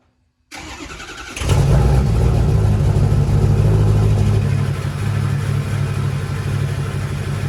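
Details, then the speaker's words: Ford King Ranch truck, 6.0 Powerstroke diesel with stage 2 cam, billet LPOP, high-rev valve springs, O-ringed heads, KC stage 2 turbo, one-piece up-pipes: starter cranks about a second on a cold start, fires and settles into a firm, even idle; normal. "Let's go do a cold start on the King Ranch. You guys can hear that thing run, and yeah, it's going to be cool."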